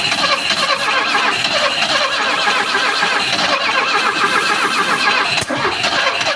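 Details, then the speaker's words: Alfa Romeo 33 with about 40,000 km, not run in 23 years, alternator belt gone: it cranks with ignition, compression and oil pressure and tries to run on starting spray but never fires; no fuel delivery, fuel pump suspected. "it wants to it wants to run with the spray but that is quite not quite enough we may have a issue with the gas pump with the gasing pump over there still no signs of gasoline"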